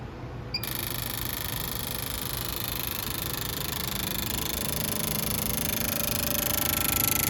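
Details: Fuel injector tested on the bench: rapid steady crisp ticking about three to four per second over faint hiss; this injector clicks normally.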